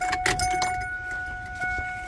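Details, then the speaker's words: Drag car Alloyworks surge tank after replacing the failed fuel pump, battery reconnected, key cycled: key jingle then a steady electric hum holding pitch for two seconds; fuel pump priming normally, later reaching 40 PSI. "connected now we should be able to hear the pump cycle yep"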